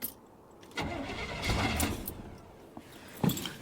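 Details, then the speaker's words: Suburban with shot rings and a brand-new starter, on a cold 28° morning. A short burst of cranking never catches and the engine won't fire, same as before. Crank no-start; the owner suspects the coil. "Nope. That's the same thing she was doing before."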